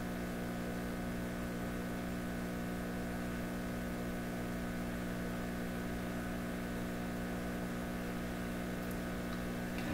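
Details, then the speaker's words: Pye 39HC shortwave receiver on its original tubes, baseline test with a plug-in loop antenna: a steady, deep, buzzy hum swamps the output and no station comes through. Heavy mains hum, cause not yet found. "just a big whopping hum. That's not helping."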